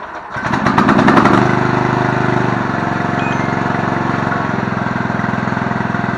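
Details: Murray riding mower, 17.5 hp, 42-inch deck, bought non-running, fixed with basic maintenance, new blades and a replacement carb; cranks briefly, catches and settles to steady even putter about 3.5 beats a second, running healthy.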